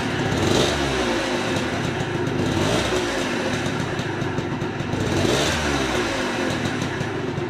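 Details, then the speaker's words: Engine being revved: a dull, rough rumble swells with engine speed and fades as it drops back. A bearing noise is suspected but not confirmed. "je l'entends bruit sourd comme ça et m'a dit + montant vitesse plus ils n'entendent brûlant"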